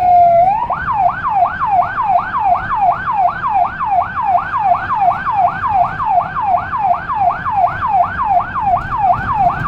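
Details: Emergency siren on a small car in Budapest fitted with a Federal Signal Rumbler, recorded from inside: a fast regular yelp sweeping about three times a second, no deep rumble tone noticeable; siren working normally.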